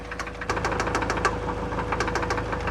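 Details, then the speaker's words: 2004 Mazda Miata, 125k miles, idling: sharp metallic clicks rattle irregularly, bunching then thinning, coming and going; worse after driving, no check engine light; owner suspects something metal loose, cause unknown. "it sounded like a little bit and then i drove it and then it got super bad like this there's like a metal rod or something something is loose somewhere but i'm not sure"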